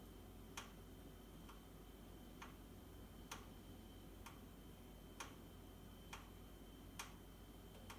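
Sharp single ticks, roughly one per second and evenly spaced, over a faint low hum; a repetitive knock from the boiler. Cause suspected, not confirmed.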